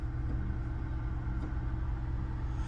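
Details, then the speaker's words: 2020 Nissan Altima after fixing misfire code P10C3: low, even idle rumble with steady beat, no stumbles. RPM fully steady, misfire gone, code not returned. "ولكن السياره ما شاء الله الار بي ام 100% ما عاد فيها تقطيع والكود ما عاد رجع"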